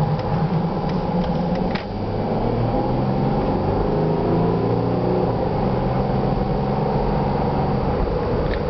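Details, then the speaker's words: 2007 Jeep Grand Cherokee CRD diesel, just under 41K miles, heard inside the cabin on a short drive: smooth low drone rising evenly as it pulls, turbo spooling slightly, no knocks or shifting issues; runs like new. "Runs just the way that it did when I bought it new. You can hear the turbo spooling up a little bit."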